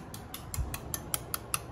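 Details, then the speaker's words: Fuel injectors on an engine with a universal intake manifold, pulsed by a test routine with the engine not running. Crisp, even clicks about five per second; all injectors are firing and working. The coils had already been confirmed sparking. "and you can hear them just clicking away and you can like feel it it's just so um all of those are working so that is very good"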